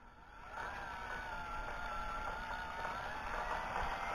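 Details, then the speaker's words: Hobby coil winder with new motor in wooden V-block, rubber coupling for shaft misalignment: smooth whir climbing steadily in pitch from a creep to fast RPM, no knocks or rattles; normal run-up. "to a pretty good RPM, way fast, still faster than what I'll probably go. Everything seems to be working."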